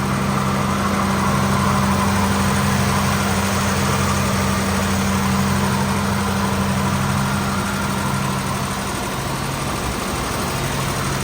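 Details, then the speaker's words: 1955 Buick after refitting and tightly squeezing a loose clip to cure stalling: starts easily, steady even low rumble, constant hum, no misses or knocks; normal idle. "car has no problem starting up all right Stir It Up why not"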